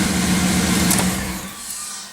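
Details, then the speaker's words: 4th-gen Firebird Trans Am LT1 V8 restarting after a new gear-reduction starter replaced the bad one: brief even cranking, then the V8 catches and settles; a clean start with no grinding or clicking. "i like that sound wow that's like music that's better than a concert"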